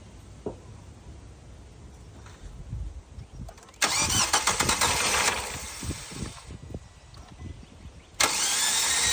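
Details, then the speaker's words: 2017 Nissan Sentra, first start after oil cooler, upper oil pan, timing chain, crank sprocket and oil pump replacement: two long bursts of steady cranking, never fires; crank no start, fuel pump not heard running, fuel being checked. "Gonna check the fuel. I don't hear the fuel pump working or coming on."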